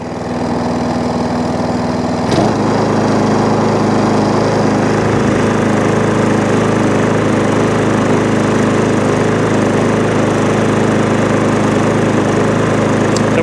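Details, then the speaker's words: MTD push mower, Tecumseh engine, after the too-thick SV150 foam filter starving it of air was thinned out; a proper Tecumseh filter will be ordered. A steady even drone after a short speed change, with no misses or surging; it runs smoothly. "they don't run too bad now so i'll order up a new air filter for a proper tecumseh one and uh that'd be good to go so i'm quite happy with that"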